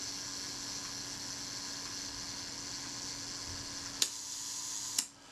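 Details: Retina IIIc camera after shutter service: faint steady buzz of the self-timer escapement running down, then a crisp shutter click; the self-timer runs smoothly and fires normally.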